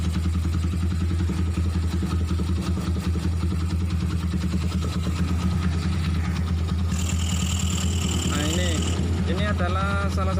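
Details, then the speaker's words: Honda Tiger motorcycle with a modified racing camshaft, idling: a steady, even low thrum with no misses, knocks or ticking, a smooth and healthy idle. "seperti yang saya bilang tadi bahwa tidak ada suara kasar atau tidak terserah gelitik"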